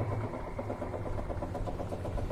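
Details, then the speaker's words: Washing machine spin dryer that had been spinning slowly, tested after the repair: steady low hum with an even fast pulse and no scraping or slipping; the spin drum now reaches proper speed and dries, so the problem is fixed. "Perhatikan baik-baik Kalau udah kencang berarti masalahnya udah beres ya ya Nah beda ya Neng Ya sudah mantap nih ya sudah langsung ngering ini"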